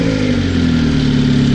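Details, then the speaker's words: EF Honda hatchback with turbo B18B1 just after engine wiring harness rebuild, main relay bypassed: steady even engine note with firm low rumble, no stumbling; revved, it didn't drop idle and sounds healthy. "so as you guys just heard the car turned on it sounded amazing we'll let it warmed up we revved it up it sounded good it didn't drop an idle everything was holding up just fine"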